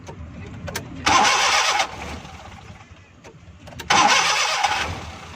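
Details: Suzuki Bolan (Ravi) with starting problem: two short starter whirrs each under a second, engine never fires; cranks without starting, hard starting.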